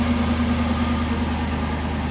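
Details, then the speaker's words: 2012 Aston Martin V8 Vantage, dead cold, idles with a smooth, quiet, even soft low hum, no ticks, knocks or stumbles; a healthy, whisper-quiet cold idle. "Quiet engine, runs phenomenally. Whisper quiet, runs like a champ."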